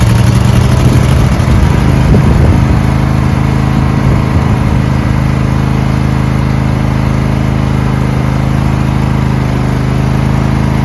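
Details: Riding lawn mower with a V-twin believed to be about 20 hp, sat unmoved in shed at least 3 months, new 320 CCA AGM battery, about half a quart low on oil: steady low drone, even firing without misses, knocks or rattles; normal running.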